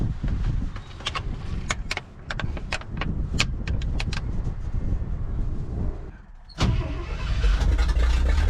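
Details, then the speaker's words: Abandoned 1963 Loadstar truck V8, after carburetor work: uneven cranking with clicks for about six seconds, a brief pause, then it catches and settles into a steady, healthy run; owner thinks it may be fixed. "maybe i fixed the damn thing maybe i did it"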